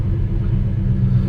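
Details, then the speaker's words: 1985 NZ-new Chevy Square Body Custom Deluxe V8, formerly LPG, off the road for years, first start on jump leads, not yet warm: deep, lumpy rumble with an uneven, wavering beat; runs rough at low revs, then catches and takes over. "runs rough at lower revs oh there we go she's taking over"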